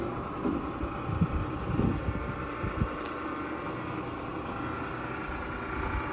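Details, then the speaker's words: Frigidaire gas dryer after reassembly with new belt and gas coils: low steady drum rumble with no squeal, thump or scraping; runs smooth and quiet. "up yeah spinning good quiet dry yeah looks good"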